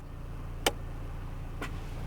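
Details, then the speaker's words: 2020 Toyota Hilux Conquest automatic on pavement, shifted in neutral from H2 to H4: over a quiet idle hum one sharp clunk then a softer one; indicator blinks until driven a little, then solid; normal 4WD engagement clunk. "I heard a clunk sound, and that's blinking. We're going to wait a little bit. Okay, so it's blinking. That means it's not engaged."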